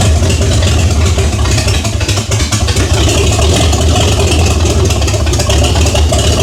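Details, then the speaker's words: 1978 Chevy Nova V8, after sitting 21 years: very loud idle with an uneven, choppy beat and raw bark from open exhaust manifolds, no exhaust fitted; owner asks whether it has a stock camshaft; no knock, tick or bang. "Number two, y'all tell me in the comments, does that sound like a stock camshaft? Because yes, it has open manifolds, but at the same time, that thing's hitting a daggone lick and a half."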